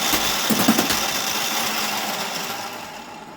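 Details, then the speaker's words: Whirlwind pinball machine at first power-on after reconnecting back box electronics: fast rattling clatter, about four hits a second, continuing; owner suspects a solenoid firing repeatedly because it's looking for balls. "okey-dokey why is that happening i understand the solenoid is going crazy because it's looking for balls isn't it is it hmm"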